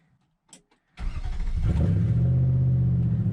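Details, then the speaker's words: 2005 Nissan Titan V8 after fuel pump rebuild with Walbro pump and new starter, truck bed off: brief quick crank then catches at once into steady even idle; starts easily. "let's go ahead and give her a crank this truck does have a new starter as well so it does start pretty easy"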